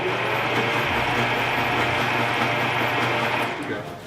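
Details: 1950 Dodge Wayfarer with positive-ground electrical system, spark-plug check: starter churns at about four beats a second, sluggish and strained, engine turns but never fires before winding down; cranking weak, cause unconfirmed.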